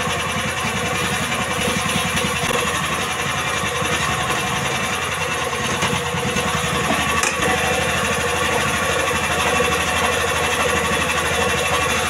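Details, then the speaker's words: Indo Jarwo Crown rice transplanter small single-cylinder engine after carburetor adjustment for hard starting: runs fast and even, steady rapid beat with no misses; healthy running. "itulah hasil dari penyetingan atau penyetelan karburator mesin transfer"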